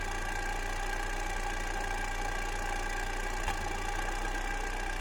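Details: Fiat Coupe 2.0 16v at idle: steady low idle with faint uneven lumpiness and one brief stumble partway through; a misfire.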